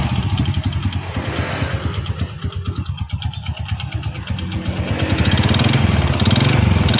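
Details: Honda Supra X motorcycle with a rough-running engine; dull uneven knock from the middle of the engine that persists as revs climb, a worn connecting rod (stang piston) needing an engine teardown.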